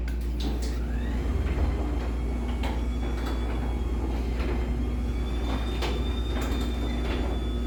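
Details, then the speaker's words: LiftMaster 84505R garage door opener, newly installed, running the door: a low, even hum with a faint rising whine as the door travels and no grinding or clunks. It works smoothly and is fairly quiet. "so yeah um I don't know it's I mean it works it's kind of quiet it's honestly I'd say it's probably about the noise level of that I don't know I'll compare it in a sec"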